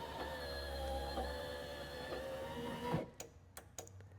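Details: Ford F150 OBS truck door just after new window seal install; power window motor runs a steady smooth, even hum for about three seconds then stops; normal operation.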